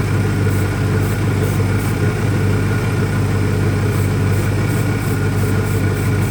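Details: 2001 Ford Mustang Cobra after new Bosch spark plugs: low, heavy uneven loping idle that never smooths. Owner doesn't think it's a vacuum leak; cause not pinned down. Rough idle.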